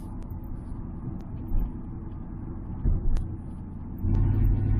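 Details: 1978 Ford Fairmont Futura after GT40P head swap, driving, Flowmaster removed, Y-pipe into straight pipe: deep steady exhaust drone at light throttle, no stumbles or cut-outs as the old engine had; normal running under light load.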